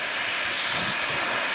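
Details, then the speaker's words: Vevor 5-ton (11,000 lb) air bag jack venting air to lower a vehicle after holding without leaking down; a steady, even hiss with no sputter or surging gives a smooth, normal release. "probably smooth coming down thank you didn't seem to be a worry at all"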